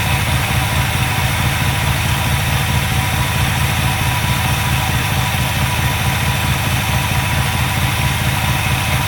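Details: V8 with an Edelbrock carb after cleaning primaries clogged by stale E10 ethanol fuel, vacuum gauge on manifold vacuum: a steady, fairly even idle with a low rumble, holding speed without stumbling; it barely idled before the cleaning.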